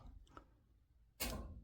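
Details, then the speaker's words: Whole-house humidifier with humidistat terminals shorted: after a quiet pause one crisp click as the solenoid water valve coil pulls in and water flows; fault traced to a bad 24V relay. "We should hear something and we should see water come out here."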